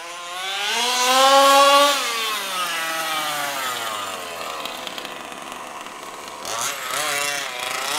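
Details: HPI Baja SS rebuilt from an eBay junker, Zenoah G320 two-stroke with V2 Dominator pipe on 91-octane ethanol-free fuel with Bel-ray oil at 32:1, during high-speed needle tuning: high buzzy wail rising and falling with throttle, thin and crisp on top; slightly lean, later sorted.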